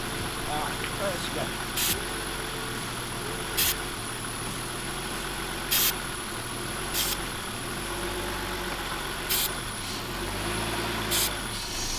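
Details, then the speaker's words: 1995 BMW E36 325i that sat for a long time, idling at 3000 rpm: fast steady idle far above normal with sharp hissing bursts; cracked intake boot between MAF and throttle body lets in unmetered air, a vacuum leak; boot to be replaced. "this boot is causing a lot of our running issues right now it's causing a lot of an idle issue up to a very high idle issue we're idling at 3000 rpms that's all because of those cracks in the boot"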